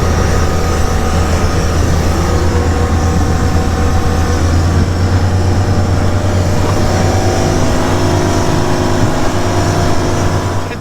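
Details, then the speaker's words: Old green Gulf Stream boat cruising through rough, choppy waves on a lake: a steady, deep drone holding even revs under load with water and wind rush over it; engine running smoothly at cruise. "The boat is running beautiful. I mean, look at these waves. It's just taking them like a boss."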